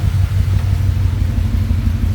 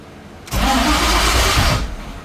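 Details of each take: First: Coyote V8 swapped into GT500 at first start, cam sensor circuit codes and VCT sensors not reading: deep even low rumble, steady beat, no knocks or misses, slightly smoky; normal idle. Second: Coyote GT-engine-swapped Ford GT500 on its first start attempt: the starter spins barely a second, then quits with no firing. It should keep cranking until it starts. An unconnected crankshaft position sensor was then found and is suspected as the cause.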